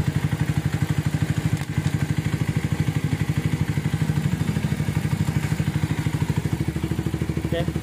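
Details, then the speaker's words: Minerva R150 X-Road single-cylinder that had rough engine noise and white smoke, now after piston and parts replacement idles evenly and steadily with a soft regular pulse and no clatter or ticking; normal idle. "Video awalnya berasa putih, ini saya diganti, ref diganti, nokonas diganti. Sekarang udah lembut suaranya."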